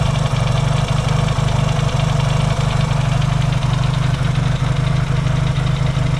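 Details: Yamaha XS650 twin, engine just reinstalled after fixing its oil-burning problem, warm-up idle with points not yet properly adjusted: loud, steady, slightly lumpy idle with even beat, no misses or knocks; no longer smoking, healthy.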